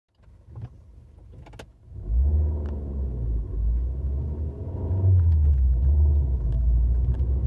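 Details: Fiat 500L 1.4 95hp: deep uneven rumble builds and drones louder as revs climb under acceleration; abnormal noise under load, cause not pinned down.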